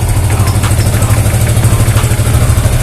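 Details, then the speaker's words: Yamaha Vixion motorcycle that was hard to start (starter too weak to crank, only the relay clicked), after the starter motor was removed and checked: low, steady single-cylinder idle at about three beats a second, even and unbroken; now normal. "Oke, sekarang sudah normal."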